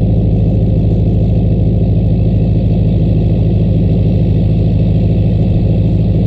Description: Truck started right up after a night at -12 as the low and -11 when i went to start it. 9000ft altitude make the turbo whistle just a bit more:)